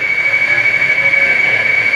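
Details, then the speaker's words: Blaupunkt car radio from a Mk3 Ford Cortina being revived while stuck at full volume, with a hand on the antenna; a steady high electronic whistle with faint warbling, likely tuning interference. Cause suspected, not confirmed. "Oh! It sounds like Space Invaders. Wow!"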